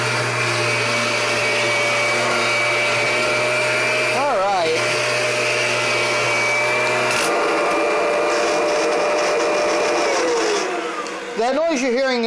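Steady motor roar with a fixed whine and low hum, the pitch shifting partway through; that extra whine is the self-propel drive.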